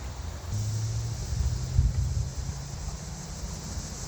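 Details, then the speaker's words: 2001 Ford Escort ZX2 petrol engine running for the first time in months or years, after chasing an ignition-switch wiring fault, low on fuel: a low, steady, even idle rumble with no misses. It runs normally. "That is a running engine. And she seems to be running fine, too. Oh, yeah. This is probably the first time it's run in years, at least months."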